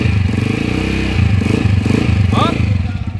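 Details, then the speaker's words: Honda TMX 155 motorcycle engine, before repair, very noisy especially when revved: harsh gritty clatter and rough whirring over the exhaust beat from the worn timing gears; timing gear set later replaced. "So yung issue nito kanina, napakaingay, lalo na pag nire-revolusyonan. Yung timing gear ang maingay."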